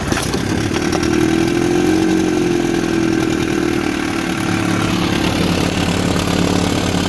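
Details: 1960 Scott-McCulloch 12hp outboard with 14.1hp McCulloch powerhead, after ignition points cleaned and set, new plugs, fuel pump repair, lake test: steady even two-stroke buzz, no misfires or surging; smooth healthy idle.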